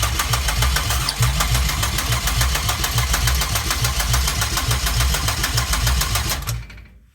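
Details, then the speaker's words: 2004 Pontiac Grand Am 3800 supercharged V6 swap, cranked with screwdriver since ignition switch won't engage starter, fuel pump running: steady cranking about 3.5 beats a second, never fires; suspected unconnected wiring. "Let me grab a screwdriver and we'll see if this thing starts or not. Alright, so she's still not starting."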